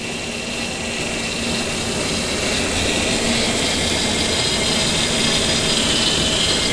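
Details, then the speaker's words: 2002 Ford Explorer at first start after a timing chain job, idling: high steady whine over the engine. The power steering pump had been lying around and the rack was not bled, so air in the fluid makes the pump whine. "I'm getting a little noise here I think it's from the pump"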